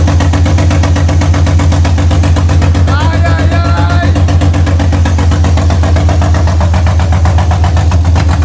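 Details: BMW M52B28 inline-six swapped into an E30, first start; idle actuator hose loosely refitted. Smooth, even idle with a steady low hum, no knocks, misses or rattles; smoke is from residue on the exhaust; normal idle.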